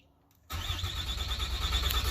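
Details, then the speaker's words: 2007 Dodge Ram 2500HD 6.7 diesel with a remanufactured PCM fitted: it now cranks at a steady rhythm where it never cranked before, but shows no RPM signal and never fires. Codes include lost ECM communication and vehicle configuration not programmed. Crank, no start. "so if you listen it does crank over now before it never cranked let me do that again recycle power still no prindo it cranks over but i have no rpm attack either"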